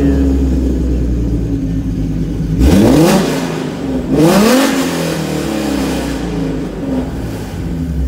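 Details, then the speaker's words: 2011 Ford Mustang V6, first start after swapping in an 80,000-mile engine and transmission, running naturally aspirated: it catches, settles, and two clean revs rise and fall smoothly with no knock or miss. A normal start and rev. "She's ready. So we're calling it a night, guys. I'm pretty tired. The engine is in, the car runs."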